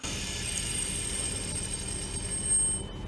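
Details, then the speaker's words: Failed hard drive opened on the bench, powering up: high spindle whine over fast gritty grinding ticks as the head steps a fixed amount toward the center each retry, then gives up and stops; drive failing to read. "you can see as we noticed during the video that the head is moving a fix amount every try so you move towards the center a bit and then you should try again there it is can hear the grinding noise and then it gives up and it stops in there"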